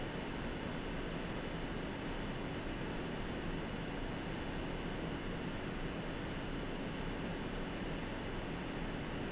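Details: AMD Radeon RX 6800 (non-XT) graphics card while gaming: steady high-pitched coil whine with several thin tones over soft fan hiss, caused by an older power supply; replacing the PSU resolved it.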